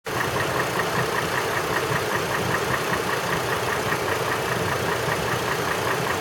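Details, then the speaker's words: 2003 Chevrolet TrailBlazer 4.2L inline-six at idle: a light, even upper-engine knock about two to three per second, gone at higher rpm and gone within 30 seconds of blocking the PCV tube; vacuum steady at 19 inHg idle, 16 at 2000 rpm; cause unconfirmed. "okay we have a 2003 Trailblazer here with what appears to be an upper engine knock"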